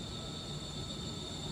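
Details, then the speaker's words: Noisy fresh-air intake fan on an air handler in a boiler room: thin, steady high squeal over a low fan hum from the belt slipping in worn-out pulleys. "noisy fresh air intake fan sounds like a belt"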